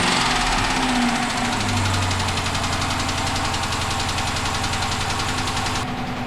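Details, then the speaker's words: Retired auction police car petrol engine idling rough and uneven, lumpy pulse about four beats a second from a misfire, started after spark plugs refitted to see if the misfire changes cylinders. "Now we're gonna start it up. And we're gonna see if the misfire changes cylinders."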